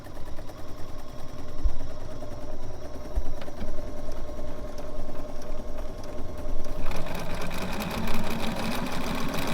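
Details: Bernina 770 sewing machine sewing a 1/4 inch seam with foot 97D: fast, even needle chatter with a steady motor hum that picks up smoothly with speed; normal stitching.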